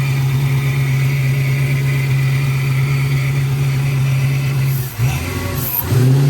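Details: Freshly built 6.2 LSA V8 just installed in the car, first run before the radiator and coolant went in: strong, even low rumble with a steady beat and no knocks or ticks; runs normally until switched off.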